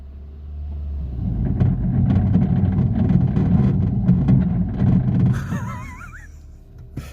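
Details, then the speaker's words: Citroen C3 creeping forward: heavy low rumble and scraping drag, as if the engine were dragging on the ground; collapsed front suspension is letting the tyre rub. It is thought to have been driven a couple of miles like this. "Now, this car has just drove into me and it sounded like the engine was dragging across the floor."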